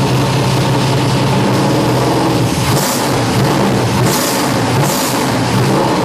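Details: Lucas Oil Modified race car fitted with a FIRA FAST EFI system, primed and fired after sitting a few days: the engine catches and runs strong with clean rising throttle blips, no misses or odd noises; a normal start and rev.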